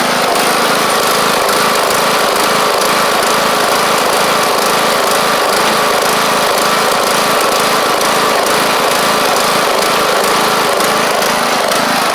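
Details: John Deere LA100 riding mower with 5-speed transaxle, long-sat, hard starting from valve issues, out on the test run with the deck engaged and every spindle checked as turning: a steady, even small-engine drone at a consistent pitch under blade load, with no missing or knocking. It runs as it should.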